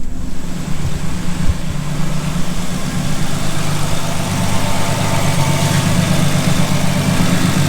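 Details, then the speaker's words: High-mileage (246,000 miles) Ford Explorer Sport Trac 4.0 V6 running 10W40 oil to quiet timing-chain death rattle, not a true fix: even low idle hum with no chain rattle or slap; oil pressure fine, running healthy. "we're running great dude i'm stoked that's huge what can i say"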